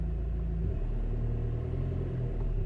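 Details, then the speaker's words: Citroën Nemo with SensoDrive semi-automatic gearbox, brake pressed and reverse then first gear selected: low even idle with a soft dip as the gear engages, then steady running; gearbox now selecting cleanly. "Oh man, and it is working."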